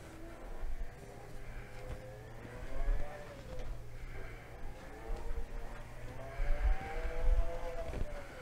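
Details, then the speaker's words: Golden BuzzAround mobility scooter after its broken transaxle was replaced completely, running at about 5 mph: soft, low drive hum with a gentle whine rising and falling with speed, no grinding; small bump from a tyre flat spot. "That sounds good to me. There's a little bump in the tyre, like a little flat spot."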